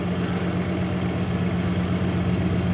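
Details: Stone-cold 2001 Dodge Dakota 4.7L sits at a steady, even raised idle with no knocks or misses and doesn't settle down; the A/C appears to bump it up further. The idle air control valve is to be cleaned for the high idle.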